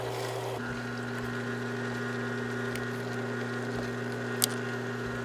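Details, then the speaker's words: Aqua-Flo XP2E pump motor on Dynasty hot tub after loose-bearing repair, low, high, then low speed: smooth steady hum, no rattle, much quieter; normal pump motor running. "That's low speed, high speed, back to low speed. Much quieter. So that was a successful repair, friends."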